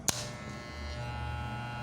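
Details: Wahl Legend clipper running after adjustment: steady, even hum with a low buzz and no rattle after a brief click at start. The earlier noise came from a loose small part that was refitted.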